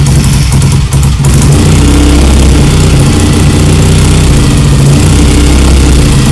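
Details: BSA Lightning twin, first start after years of neglect, carbs and timing not yet adjusted: deep, even twin-cylinder beat holding steady, no knocks or rattles; engine sounds good and tight.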